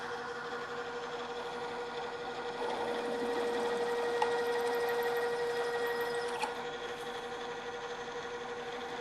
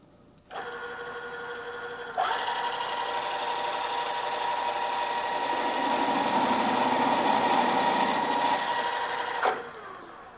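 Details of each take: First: Drill press with half-inch drill, stepping up toward a one-inch hole, rerun at lower speed after chatter from running too fast: steady even hum, now cutting smoothly without chatter, drilling and backing out to clear chips. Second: Drill press stepping up to a half-inch drill toward a one-inch hole: motor hum turns to loud ringing, buzzing chatter as the drill deflects and jumps in the hole, indicating spindle speed too high; lower speed fixes it.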